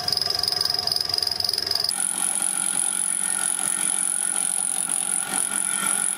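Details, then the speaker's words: Fly cutter taking a 2 mm cut on the aluminium tailstand slide of a Gingery milling machine build: a high thin whistle rides over the cutting chatter as the cutter lightly rubs the work on its back stroke. "The whistling you'll hear is the cutter on the back stroke, just touching."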